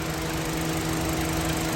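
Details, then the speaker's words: 2013 Honda City 1.5 V i-VTEC petrol sedan, automatic, about 10,000 km: smooth, steady idle hum with no ticks, knocks or misses; no smoke or vapour from the engine. Normal idle. "ไม่มีควันไม่มีไอครับถ้ามีควันมีไอเนี่ยมันจกระเด็นติดตามขอบพวกเนี้ยนี่ครับมันจกระเด็นติดตามขอบนะครับไม่มีไอนะครับเครื่องดีนะครับ"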